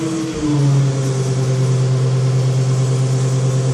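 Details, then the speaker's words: ZF 5HP24 automatic gearbox on an EV motor under Arduino control. When drive is selected, the motor hum drops in pitch to a steady, loaded drone as the controller raises line pressure and engages first gear, and the output shaft turns slowly. "so what you'll have heard there uh you will have heard the motor load up because part of the program is that we bring up the line pressure"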